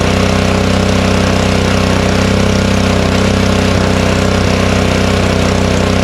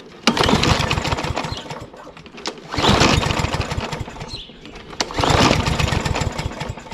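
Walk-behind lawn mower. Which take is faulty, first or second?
second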